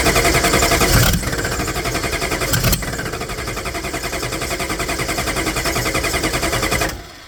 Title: 6.5 Diesel No Start with intake removed